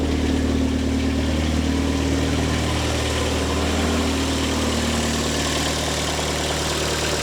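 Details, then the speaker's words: Engine after rebuild, fuel pressure confirmed, running toward full operating temperature: steady even idle hum with constant low note, no knocks or misses; everything looking good, though oil has got into the cooling system. "so everything is looking really good so far I brought it up up to full operating temperature and nothing has gone wrong yet"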